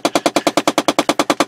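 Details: 2007 Chevy Impala engine running: rapid, even clicking, about ten sharp ticks a second, from a failing driver-side heat door actuator under the dash by the steering column, heard above it.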